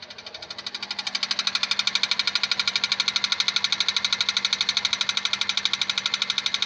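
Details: 2001 Honda Civic 1.7 automatic at idle: sharp, very even ticking about three times a second over steady idle hum; owner asks what it is, source still unknown. Engine ticking noise.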